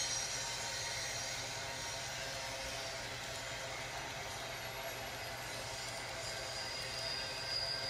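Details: Freight train rolling through Bellingham: a long, steady high-pitched hiss and screech over the rumble as it passes; wheel-on-rail squeal.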